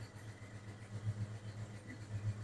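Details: 1996 Ford F-150 V8, recorded at exhaust: low quiet idle with irregular dips about once a second, maybe slight smoke, clicking; poor compression test, suspected misfire from a low-compression cylinder.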